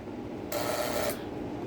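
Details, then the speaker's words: STR intercom with electric door lock, transformer on 220 V, lock released from the indoor handset; a crisp buzz lasting about two-thirds of a second, then quiet, as the strike releases cleanly — electric door lock working normally. "तो ये हमारे lock की आवाज़ भी आप सुन सकते हैं। ये जब लॉक होगा तो ऐसे बंद होगा।"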